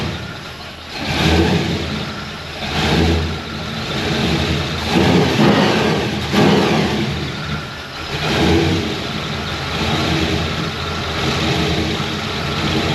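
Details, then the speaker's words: Supercharged V8 Chevy C10 on its first road drive after vacuum-leak, timing and starter fixes: loud, deep engine surging with throttle in repeated pulls, no misfires or knocks; normal healthy running under load. "Good grief, that sucker's loud. First drive, man, you gotta fill it out, you know?"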